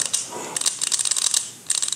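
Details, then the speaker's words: Old 18RC distributor from 1972 Toyota Celica (18RG swap), advance weights turned by hand near mic: crisp metallic clicks, weights spring back freely, unlike the sticking 18RG unit. Normal advance weight return. "you hear that get to close to the mic there you can hear it but yeah uh that's in good shape"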